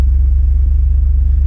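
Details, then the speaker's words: 1996 Pontiac Trans Am that had been starting then stalling after two seconds on a theft deterrent code, after fitting a NewRockies bypass module: the security light goes green and the engine settles into a steady, even, smooth idle. "I'm gonna put the key in see what happens green light comes on car starts"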